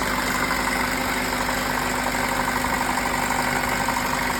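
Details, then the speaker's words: 2005–08 Honda Accord LX petrol engine: when shifting into reverse or drive rpm drops below 700–800, producing a steady drone with faint rhythmic pulsing about three a second; also at idle, despite many parts replaced. "Um, you can see when it's on the prune to reverse, the RPM drops, and it causes this noise."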